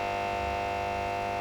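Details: VVT Lindy Fralin model valve combo amp: loud, constant low mains hum of steady pitch, with about 170 V measured across the first of two series smoothing capacitors.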